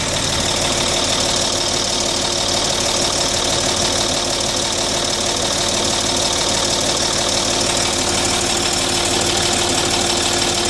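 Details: Land Rover Discovery 3 TDV6 2.7 diesel ticking only at operating temperature, louder when slowing between 1500 and 1000 rpm; warm engine running steadily with a crisp, regular tick about three times a second.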